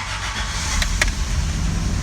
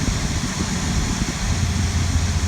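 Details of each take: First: Old carbureted Land Cruiser started after a long absence (cranked about 10 clicks, pedal pumped slowly 10–12 times, on choke): catches into a low, uneven, struggling idle with clicks. The fan clicks off after about 30 seconds, then the choke is eased in. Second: Toyota Land Cruiser started after a long absence, now warmed up with the choke pushed in and the fan clicking off; even, steady low rumble with no misses, surges or knocks, a smooth, healthy idle.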